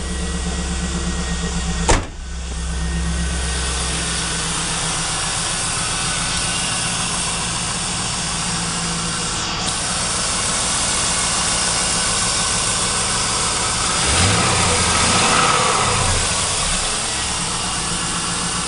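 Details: LS1 V8 after fixing its ticking with a $3 part from the parts store: starts and settles into a smooth, steady normal idle with no ticking.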